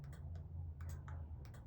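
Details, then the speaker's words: Tao Tao 110 mini quad swapped to a Kawasaki KX60 two-stroke engine, key on: a few sharp, light clicks over a steady low hum as the remote anti-theft kill switch relay snaps over on lock/unlock, working as it should. "triggers a relay so right now it's unlocked"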